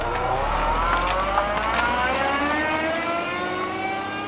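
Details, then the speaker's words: Car in reverse: a steady whine whose pitch climbs with speed over the engine hum. This is the normal meshing of straight-cut reverse gears, unlike the quiet helical forward gears, and is the same cause as inline-triple counterbalance-shaft whine. "sound you're hearing is the whine of straight gears meshing while all the other gears in a typical car first second third all the way 256 are helical II connected them pretty much silent"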